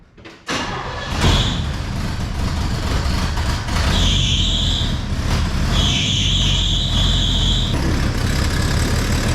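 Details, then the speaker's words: Classic truck inline six idling with muffler removed, exhaust long neglected: sharp ticking puff riding on the exhaust beat, loudest near the manifold; owner suspects exhaust manifold leak toward the back, collector gasket issue possibly solved. "That sounds like a manifold leak. I'm not feeling a lot of air coming out of the collector, but I can't reach. It feels like it's in the back here."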